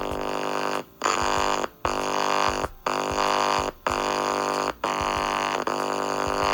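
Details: Tape recorder or VCR audio playback, likely the RCA bed-type tape recorder: music drops to near silence about once a second, six times, then returns; sound comes back briefly when a point is shorted; owner suspects a faulty capacitor.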